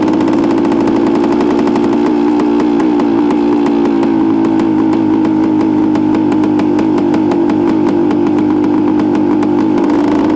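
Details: 1973 Suzuki TS250 two-stroke being ridden after a rebuild, its first ride with no bugs or major issues. Crisp, rapid buzz at steady pitch with even firing, no misses or rattles; runs clean and healthy.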